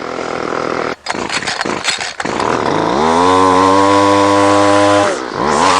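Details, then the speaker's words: Line trimmer (whipper snipper) after repair and high/low carburetor mixture adjustment, previously hard starting and refusing to idle: revs to a clean, steady high drone holding evenly under load; normal running. "okay well I believe that's enough for proof of concept it works fine"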